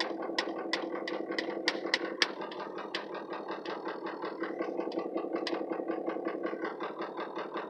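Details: Ford 6.0 Powerstroke diesel with no power, no accelerator response and no codes: uneven loping idle with irregular sharp knocks about twice a second, shaking, VGT at 85%; smooths out around 2,000 rpm; cause unclear.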